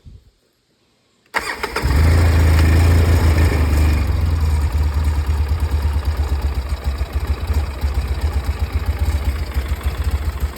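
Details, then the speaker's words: Polaris 700 quad after carburetor refit: fires, flares, then slightly hunting unsteady idle; still running a bit lean, bigger jet to be fitted and carb cleaned. "Still running a little bit lean, so we have a different jet, a little bit bigger."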